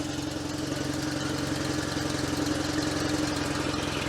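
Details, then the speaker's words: Invacar on choke, started after running poorly the night before: small two-stroke ticking over evenly with a steady buzzing beat, no knocks or misses; sounds much better than last night. "Sounds alright. That sounds a lot better, actually. Yeah. I mean, she's on choke, but better than she was sounding last night."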